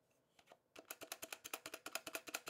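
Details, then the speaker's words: Mechanical keyboard before shipping: quick clacky keystrokes with a loose hollow rattle on the spacebar, whose stabilizer isn't lubed properly; modifier switches also appear unlubed. "you hear all that rattle it's not even blue properly"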